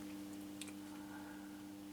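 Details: Transworld TW-500 linear HF amplifier after band-switch modification, changing bands from 160 to 80 m: a couple of crisp relay clicks over a steady electrical hum; normal low-pass filter relay switching.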